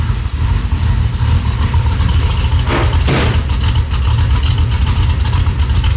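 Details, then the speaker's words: 3rd-gen Camaro V8 with a new welded parts-store-pipe exhaust, Dynamax Performance mufflers, no cats; deep, even, fairly quiet burble with one short throttle blip: normal idle. "Dude, that's sick. It's pretty quiet, honestly. It's quiet."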